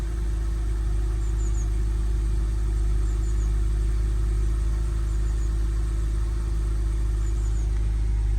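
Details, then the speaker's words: BMW E90 325i N52 cold start after rewiring the O2 sensor connector, while chasing a rough idle. Steady, even low hum with no stumbles; the cold idle runs well so far. "it's cold starting at the moment. Let's check on the wires. The car is running good so far."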